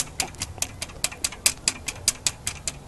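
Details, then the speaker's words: Lincoln Town Car 4.6 V8 at idle: sharp evenly spaced metallic ticks about twice a second from a stretched, slack timing chain slapping; noise fades as rpm rises and returns when it slows. "you'll get this on an idle when you speed up the car you it would go away you will hear the noise go away because obviously it's a little faster and and it it adds tension to it or it doesn't let it slap around so much"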